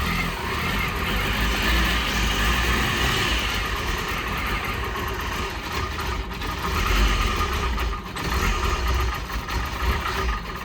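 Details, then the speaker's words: 2002 PT Cruiser first start after 9 years sitting, after new cam sensor, wire repair and new ground: low rumble surging and sagging unevenly, rough running like a misfire; old gas suspected. "She definitely starts, but it sounds like we got to get some new gas."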